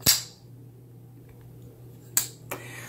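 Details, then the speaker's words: Kizer Cozy folding knife, 154CM steel, Micarta handles, lock stick breaking in; little squeak then occasional dry clicks with faint rub as the lock is worked. "you hear that squeak it's like a little squeak and then there you can hear a little bit of a click sometimes"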